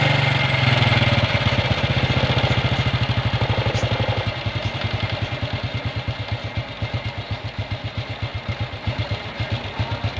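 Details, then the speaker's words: Honda Revo motorcycle (about 20 years old) at idle after carburetor service, following a new spark plug: the even single-cylinder putter holds steady with no stumbling and revs freely, no longer sputtering. Normal healthy idle. "Ya, mantap teman-teman ya, kita udah gas tadi, suaranya nggak berebet kayak tadi ya."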